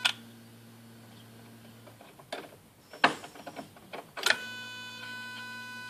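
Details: Skoda Octavia 1.6 55 kW, ignition on, engine not started: replacement used throttle body (030 133 064 F, replacing dead 064 D), not adapted via OBD, self-test: few short whirring buzzes and clicks as plate sweeps; actuator responding normally.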